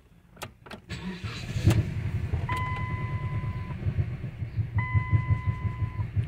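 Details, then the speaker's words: Dodge Journey 2.4 after engine and computer replacement: lumpy, uneven idle with stumbling beats under a warning chime and slow throttle response; misfire on cylinders 1 and 2, injector circuit fault. "escucha perfectamente la falla y sin moverle yo se escucha muy feo el motor"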